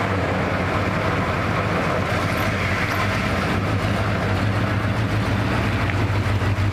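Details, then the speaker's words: 1979 Ford Bronco original V8, untouched 30 years: deep low fairly steady idle rumble, no knocking, tired and may stall; possibly running out of gas, carburetor rebuild suggested. "Motor's good though. I mean, it's old and will probably stall, but it's good. At least it's not knocking"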